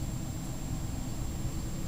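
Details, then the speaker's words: 2010 Bryant Evolution 2-stage 16 SEER heat pump with variable-speed Carrier air handler in cool mode, second stage kicking in: smooth, steady airflow rumble with faint high whine, no rattle or scrape; blower healthy. "and i think the second the second stage just kicked in it just got a lot more powerful you can hear it spooling up"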